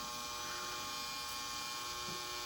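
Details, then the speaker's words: Small submersible pump, plugged in to drain water, rarely used: quiet, steady electric hum and buzz with no rattle or surging; normal running. "Drop a little pump in, plug it in, turn it on, and that should start pulling the water out."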